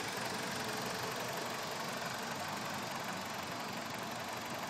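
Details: BMW E46 petrol engine idling with a light, fairly regular ticking about twice per second over a dense, hissy running sound; owner unsure of the cause.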